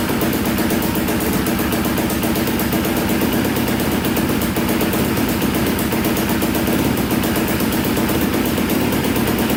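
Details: Polaris Predator 500cc single-cylinder quad after valve repair restored compression, started on choke: steady fast idle with quick regular patter, no misses or dropouts; idling smoothly, flywheel keyway still suspect.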